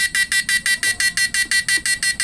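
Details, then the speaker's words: Repaired PDC 4-FET mini stun inverter with replaced PWM, under load; heatsink slightly warm, MOSFETs still cool, power draw economical: sharp even buzzing pulses about six a second, each identical; normal running under load. "tapi kan wajar karena dikasih beban ya guys ya ini masih tergolong irit ya guys"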